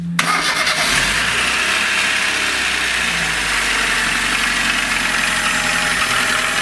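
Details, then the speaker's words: 2003 VAZ-2107, carbureted, 91,000 km on odometer: start after rebuild for high oil consumption (new rings and bearing shells) gives loud, dense metallic clatter and knocking at idle; car driven 2,000 km since, oil pressure slightly better. "Ужасные звуки издаются."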